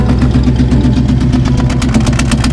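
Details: Early Bronco, new 351W V8 at idle: an uneven, loping beat with one cylinder dropping out and power lost on one bank. The exhaust paper test showed suction on the bad bank, suspected exhaust valve leak; the cause was a failed pushrod.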